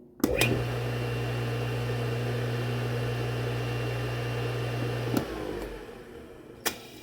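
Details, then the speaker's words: Red Lion shallow well sprinkler pump motor, rewired from 115 to 230 V during refurbishment: starts with a click, smooth steady hum for about five seconds, then switches off and coasts down; motor works normally. "All right, we have a working motor."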